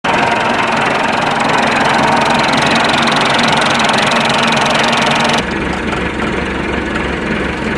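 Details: Massey Ferguson 390T tractor diesel running: rough, uneven rumble with a loose knocking beat near three per second; cause not identified.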